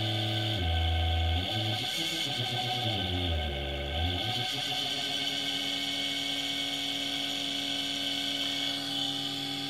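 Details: Induction motor on first open-loop drive from SLA batteries, about 36 V, speed set by a pot with no feedback: stepped whine wanders in pitch, then settles into a steady even hum with clean tone, running smoothly at the right frequency.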